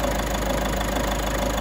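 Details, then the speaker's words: Peugeot 3008 1.5 diesel after the repair of an idle ticking noise (cam box, camshaft, timing chain and tensioner replaced): smooth, even idle with a steady low drone and no ticking or knocking; sounds healthy. "she starts and runs and sounds quite good to me sounds sweet running the finest there"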